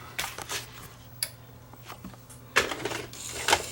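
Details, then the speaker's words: Sony EDV7300 ED Betamax recorder after reassembling the mode switch and resetting mechanism timing: irregular clicks and clatters with uneven spacing, no smooth motor run; the tape mechanism mis-cycles instead of settling into play. Cause not confirmed. "Oops. Well, that's not right."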